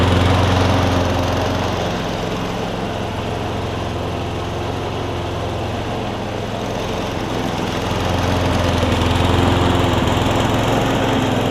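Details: Frankenmower: Craftsman Briggs & Stratton engine on a Husqvarna deck after carb jet cleaning, new blade and fresh oil: steady, even small-engine drone holding speed with only a gentle surge; running smoothly.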